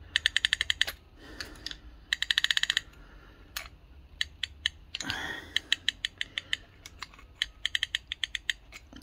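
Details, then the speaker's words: Rover P6 rear brake caliper during a partial rebuild, on the bench: the piston is wound back by rotating the cup assembly, giving crisp, bright ratchet clicks in quick bursts. The handbrake self-adjuster is working normally. "Now to wind it back, you just rotate it round. It should, there you go, can you hear it clicking?"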